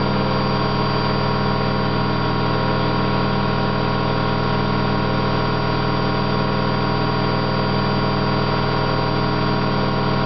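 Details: Candy GO4 127 DF washing machine in high-speed spin: steady loud droning rumble with hum from worn drum bearings, loud but not yet badly failed.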